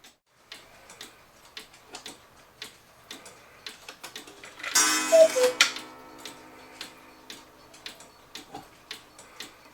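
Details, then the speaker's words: 1986 German 8-day Oompa-player cuckoo clock that had never run, with the wire behind the pendulum bent and the clock leveled. Crisp, evenly spaced ticks at about 150 a minute with a brief chime. The clock is in beat and running properly. "normally people don't think about tilting their clock until they can hear the pendulum and the movement ticking an even Tick Tock sound anyway it's ticking just fine now it's leveled and sounds beautiful"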